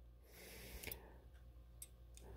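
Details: Line-voltage thermostat with a 50–70°F dial, rated 18 A at 277 V or 22 A at 120–250 V, double line break, used for a garden-bed greenhouse. Turning the dial gives a few faint, sharp switch clicks over a low hum.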